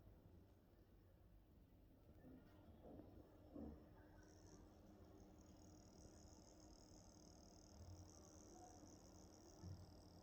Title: thinkpad x1 carbon gen 9 coil whine / clicking noises